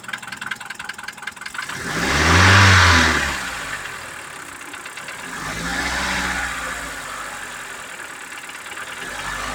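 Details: Mitsubishi Pajero iO with 4G94 engine: two rev blips from idle with a hard rapping knock rising with revs over the engine roar; knock under throttle, cause unknown.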